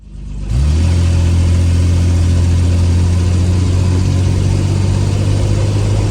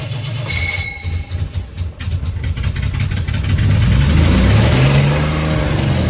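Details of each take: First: 1968 Jaguar 420G after engine reinstalled and transmission work, idling around 1500 rpm: engine catches and revs cleanly and evenly with no knocks or rattles; engine healthy, though transmission later loses all gears after a few kilometres, filter blockage suspected. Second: 1968 Jaguar 420G, first start after the engine was reinstalled. It cranks, catches, then climbs to a high sustained roar instead of settling, likely because the accelerator was misadjusted and held the throttle open; the car lurched in gear.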